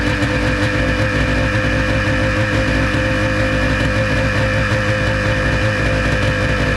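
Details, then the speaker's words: 1996 Ski-Doo Formula SS Rotax 670 twin two-stroke after sitting 10 years, carbs cleaned and primer replaced: loud even buzz, running steadily on its own, idling around 1500-1600 rpm; bogs slightly and won't take throttle. "nope no didn't want to take throttle but it sat there and ran for a while that was pretty cool it's idling at like 1500 1,600 it bogs a little bit"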